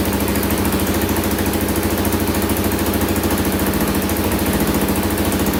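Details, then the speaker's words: 2000 Can-Am DS650 quad, single-cylinder 650cc, rebuilt top end, after lowering idle on carburetor: even low putter around 200 beats a minute, no stumbling or rattles; normal idle. "i lowered it even more so it should idle perfectly now let's add a little gas in there and see what happens there we go got her dialed in now"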